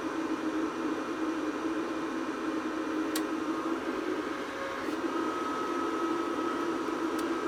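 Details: APC Smart-UPS 1500 with new batteries, on mains after self-test: clicking, then steady even whir and whistling hum as it charges batteries, no rattles or surges; normal fan running.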